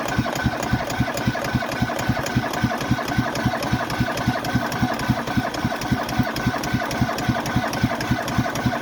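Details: Cub Cadet Series 2000 riding mower, cold start after sitting about eight months with little fuel in the tank; steady labored thumping around 220 beats a minute as it struggles to start, later catching on half throttle: hard starting.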